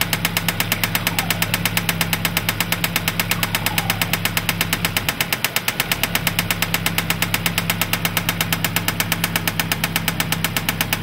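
A sharp, even tick-knock runs steadily over the idle the whole time without letting up; a knock from inside the engine, cause unknown.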